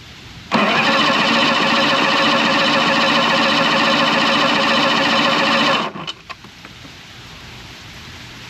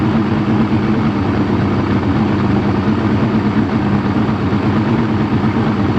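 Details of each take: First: Outboard motor in neutral with warm-up lever slightly forward, neutral safety switch lead disconnected: starter turns engine over at even steady beat about five seconds, never catches; crank no fire, later traced to a bad battery. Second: Two-stroke outboard after crank-no-fire diagnosis found a bad battery: steady, even burble at idle with no misses, knocks or hunting; idling smoothly and healthily.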